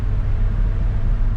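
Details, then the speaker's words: Gen 1 Toyota Tundra driven at speed: deep steady hum from the front end under the road rumble. Seller thought it was the brakes; owner says not brakes and suspects a CV joint. "I don't know if you can hear that humming now but once I got it up to speed I had a hum to it he thought it was brakes"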